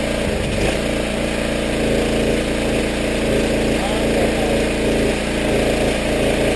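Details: Power washer small engine after carburetor rebuild, water hooked up, little gas, pressure released: even steady drone at constant speed without hunting or stumbling; runs smoothly now, where it ran poorly before.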